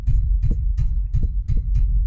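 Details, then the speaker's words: Clapped-out diesel truck with Sterling 10 1/4 rear end and dual fuel tanks, heard underneath: low regular throbbing about four beats per second with short hiss; owner suspects a shot carrier bearing bushing causing driveline vibration. "And I think I'm gonna need a new carrier bearing. I don't know if you can see that vibration,"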